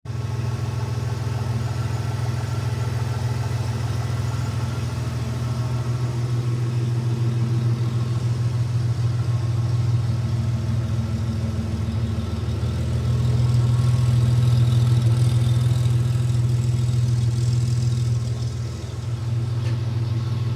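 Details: Third-generation Toyota 4Runner idling: loud, deep rumble and rough, puffing pulse from an exhaust leak.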